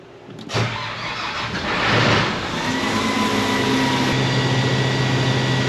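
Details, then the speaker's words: Case 8250 combine just out of the shop after repairs: short crank, quick catch, steady diesel rumble; at full throttle with the rotor turning, no weird sounds, shaking or abnormal vibrations; engine runs cleanly. "Anyway full throttle and everything no nothing no weird sounds or anything no shaking weird any vibrations that are seemed unnormal or"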